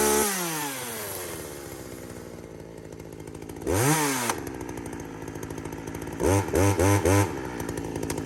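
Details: Poulan 2075C chainsaw (owner thinks 32cc, 16-inch bar) after a carb mod and tune, cold morning at about 15°F: it idles evenly, revs cleanly, and pulls steadily through short cuts, dipping briefly under load and recovering. The engine runs normally under cut.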